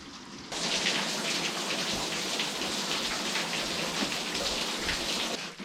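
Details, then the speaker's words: Abandoned-house waste water plumbing under test: a sudden sustained rushing spray for about five seconds before it cuts off, water jetting from a leaking pipe joint. "that was exciting it uh yeah so i heard a little hiss so i knew air was escaping somewhere and as soon as i heard it i came running down here and i heard the geyser"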